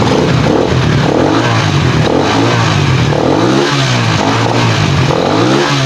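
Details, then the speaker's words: Pantra-type motorcycle, formerly very hard starting, after converting to a Lihua 4-pin CDI on a primary-type stator: engine pulls up and settles cleanly through several blips, smooth and even with no misses, knocks or rattles. "Ah nakita niyo naman mga boss napakadali na napakadali na start yung motor na kinabitan natin ng 4 pin cdi"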